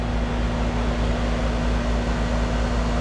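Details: Older R22 AC condenser unit after blown fuses replaced, 241–243 V supply: steady, even low hum from compressor and fan with no knocks or rattles; runs normally with good pressures of 77/177 and good amp draw.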